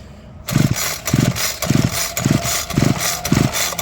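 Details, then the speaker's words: Homelite UT32605 string trimmer compression test with the gauge in place of the spark plug over about 10 recoil pulls; even bursts with strong puffs reached 150 PSI, meaning a healthy cylinder with no scoring. "tells me that we have great compression in the cylinder. Therefore, there is nothing wrong with the cylinder."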